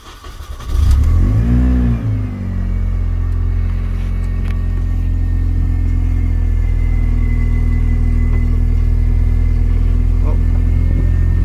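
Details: R53 Mini Cooper S race car, first start after installing new power steering lines and filling the fluid: quick crank and catch, one blip, then a steady, even idle with no knocks or squeals; normal idle.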